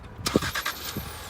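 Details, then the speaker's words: 2019 Ford Fusion Titanium, regular gas four-cylinder, started by key-fob remote start: quick burst of starter cranking, then engine catches and settles to a quiet, even idle; clean, healthy start. "can hear that four-cylinder engine kick up with your daytime running lights"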